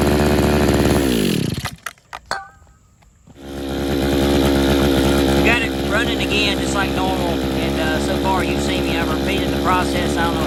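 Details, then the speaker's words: Used RedMax two-stroke edger (bought 2010) after repeated Sea Foam doses. The high buzz collapses and stalls on throttle, then restarts to an uneven run. The owner suspects a clogged carburetor jet. "still not taking any gas i'll try it again right here it won't take any gas at all if you try to give it the throttle it just floods it or just kills it"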